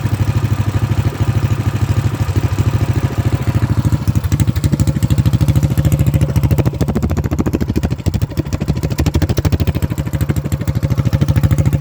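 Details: Predator Max Performance 224cc single-cylinder engine, which previously would not idle, after valve lash adjustment: a quick, even putter holding steady at idle with the choke off, no stumbling or surging. Normal idle.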